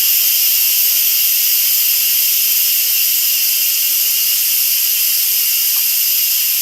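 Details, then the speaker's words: Instant Pot after cooking teriyaki sauce, pressure valve opened for quick release: a steady, even, high-pitched steam hiss with no sputtering or liquid spitting. A normal release. "Okay, I'm gonna open the pressure valve. We're gonna let that steam shoot up. Remember, move it away from your cabinets, overhanging light, all of the things."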